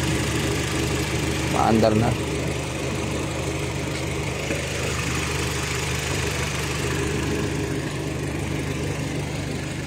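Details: Kia Rio idling after computer box (ECU) repair fixed a no-start; hazard, flasher, central lock and fog lights had also failed. Even, steady idle hum, no misses, stumbles or surging over ten seconds; normal idle.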